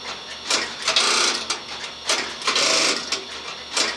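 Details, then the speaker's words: Western Electric SXS Strowger office lockout line group: a trimline phone goes on and off hook 2 or 3 times, giving crisp clicks and chatter from the line, cutoff and lockout relays with the line finder stepping behind; relays pulling in cleanly, normal relay operation. "as you can tell, I've got my line relay, my cutoff relay, and I have a lockout relay."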